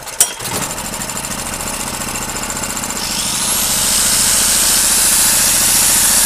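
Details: Gasoline generator that would not start after long storage, after valve clearance set to 0.2 mm and WD-40 added; steady engine beat holds while an angle grinder load spins up, no misfires or surging: normal running under load.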